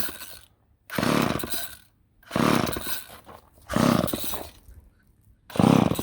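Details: Old Ohlsson & Rice chainsaw, sat 20+ years, first start attempt with a little oil added: four rope pulls about 1.5 seconds apart, each a short rasping whirr, no firing; cranks but won't start. Rope then breaks.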